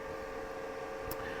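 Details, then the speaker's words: Old file server of about 40 TB running Ubuntu Server, with a steady loud fan roar and high whine from its small, fast power supply fans, the only noise source in the house. "and as you can hear it is the sole source of noise in this household because if I do this and let it turn off you will see the grandiose difference in volume"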